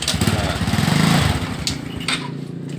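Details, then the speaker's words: Honda Supra 125 / Karisma motorcycle after new clutch linings were installed, on a clutch test. The small single-cylinder pops along at a steady beat with no rattles or slipping sounds. Engine and clutch are fine, with no more problems. "sama semua disini sudah baik dan tidak ada masalah lagi"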